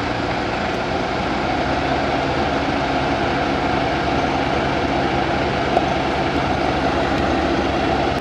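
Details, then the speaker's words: BMW, started hot with the A/C on auto and the blower turned to maximum, heard inside the cabin: loud air rush with a dull, muffled drone and weakened airflow, caused by debris inside the blower fan throwing it off balance. "근데 약간 피가 멍멍한 느낌의 소음이 나고 바람도 약간 약해져 써요 이거에 왜 그러냐면 이 순국 몰탈을 여러분 천국 못하는 이 팬 방식으로 대인데 펜 안쪽에 뭐가 들어가서 밸런스가 틀어져서 이런 증상이 되게 자주 있어요"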